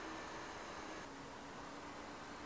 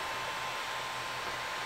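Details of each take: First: Ender 3 Pro 3D printer after the Noctua silent-fan upgrade, reading about 48 dB with adjustable fan voltage; soft even airy hiss and faint hum with no rattle; normal fan running. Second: Creality Ender 3 Pro 3D printer with stock fans before a Noctua upgrade, with power-supply hot spots up to 50°C; the small motherboard fan gives a loud, steady airy whoosh with a faint whistle; loud cooling fan.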